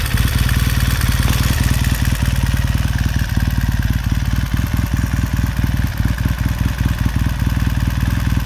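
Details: 1969 Triumph T100C after rebuild, started cold on one kick: fast, steady twin-cylinder idle pulse with light mechanical clatter, no misses or knocks; freshly built engine settling in, normal idle.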